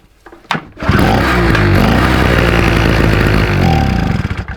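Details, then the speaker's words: SIP 2-stroke 750W single-phase generator that suddenly stopped working after about ten hours of use: pull-started, it catches, runs rough for about three seconds, then dies, lasting a bit longer each try. Poor petrol or tank flow is suspected. "runs a little bit longer each time I'm gonna check the make sure we've got enough flow coming out that tank"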